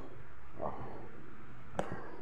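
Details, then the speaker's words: Wall fan with power and a reading but won't start, low steady electrical hum from a motor that never spins up, with handling clicks; motor has continuity, suspected capacitor or seized shaft/bushing. "Ayaw umandar pero may reading naman siya may reading iug natin wala Ugong lang siya oh ayan"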